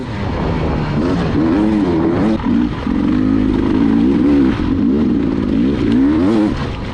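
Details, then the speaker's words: 2020 Beta 300 two-stroke during hare scramble race: revs climb then sag and stumble under load hitting kickers, bike dogging; jetting way too rich. "I mean, I hit these kickers, and the bike would just dog because it was so rich. The jetting is way too rich."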